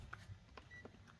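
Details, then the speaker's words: Panasonic 100V single induction cooktop mistakenly plugged into 220V, powered up for testing: a couple of faint short high beeps in a quiet room, drawing about 4 W; beeping at power-on, cause unclear. "mình sẽ bật nguồn này Các bạn nhìn này bật nguồn này ô vẫ nghe tiếng tít tít gì đấy có ăn 4 w này"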